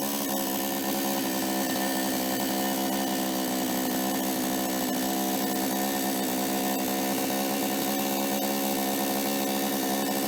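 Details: Toyama TCS46H two-stroke chainsaw after carburetor cleaning and adjustment (was starting then flooding and dying on throttle); idle screw T lowered, L needle 1¼ turns, H 1½: high steady buzz holding revs without bogging, running cleanly.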